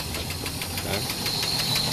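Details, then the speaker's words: Sludged engine from skipped oil changes, idling on its first round with an engine cleaning chemical in the oil: quick, even ticking about six a second from an oil-starved top end, oil pickup screen clogging with debris; not overheating, no oil light. "he knows how it's making that ticking sound that's because again the oil pump is the screen is getting clogged up with debris"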